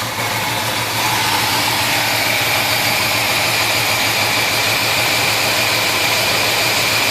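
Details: 1971 Chevelle 350 V8 idling with an irregular stumble about three times a second over a steady hiss; number one cylinder dead, its plug still wet, zero compression on that cylinder because a valve is held open.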